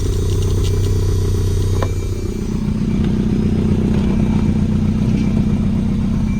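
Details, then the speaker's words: 1992 Volvo 940 wagon running, airbox off: deep, steady, even rumble at about four pulses a second with no knocks. It idles smoothly with no major leaks. "Look at that. Man, that sucker runs really good."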